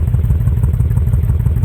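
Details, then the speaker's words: 2005 Honda VTX with Cobra slip-ons, upgraded air intake and rejetted carb (DJ200 main jet, needle slot 4), fully warmed up: deep, even low twin thump at a slow idle near 900 rpm, no misses or stumbles; normal healthy idle. "can hear that or not sounding pretty solid um like I say I usually run my idle up a hair right around just just shy of a thousand"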